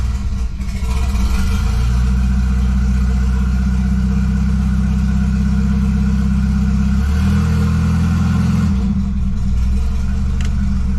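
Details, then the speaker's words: $200 station wagon just fitted with a new GMC Typhoon/Syclone turbocharger, first start after pre-priming oil: clean blip and return to steady smooth idle, no hiss, whistle or knock. Normal idle and revving. "[Music] ah that sounds cool [Music] [Music] that was pretty cool check for oil leaks doesn't look like it"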